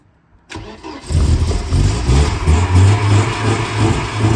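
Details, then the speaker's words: Mercedes-Benz 190E, gasoline, first start after years unused, hot-wired at the ignition lock: it only fires with fuel fed directly, then stumbles into a lumpy, uneven idle; fuel delivery suspected; coolant leak also noted. "Well, nothing really happens. So I just gave it a little bit directly. Now it will start, but it will not run maybe."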